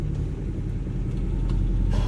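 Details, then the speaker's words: 1979 Toyota Corolla KE30 1.2L, driving after a bottom-end repair (failing oil pump starving the crankshaft bearings): a smooth, even low rumble with no grinding or knocking, much quieter than before, temperature stable. "already I can hear the sound of the engine is a heck of a lot better it's much much quieter yeah it's better as well yes yes yes this is what it's supposed to be like"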